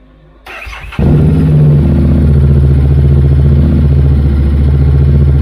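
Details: 2019 Harley-Davidson Street Rod just after a Stage 1 K&N high-flow air filter install, started up: brief crank, then a steady, even low rumble with a regular lope; healthy idle with no check-engine light.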